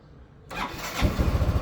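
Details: Motorcycle with a fully charged battery at 12.69 V: one-click start with a brief crank, then it settles into an even, steady idle. Cranking voltage dips only to about 11.4 V, versus 9.8 V with the weak battery; normal start.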